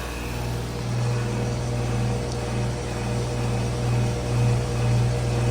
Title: (late upload) my 2020 carrier AQS and Rheem classic series heat pumps running in heat mode